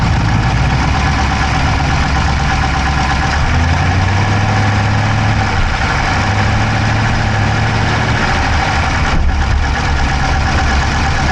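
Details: Dodge Charger Hemi V8 at idle, camera in driver's side engine bay: fast even ticking keeping pace with engine speed over loud steady idle; no exhaust smoke, so owner doubts dropped valve; source unknown.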